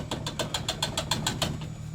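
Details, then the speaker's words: 2007 Toyota Tundra SR5: the tailgate is shaken and gives quick metallic clacks, about seven a second, from one side of the tailgate. It is a loose tailgate rattle due to a missing bump stop. "one of the items which we will hopefully fix in this video will be noisy rattling tailgate. This is what I mean. Right here, this baby makes a lot of noise."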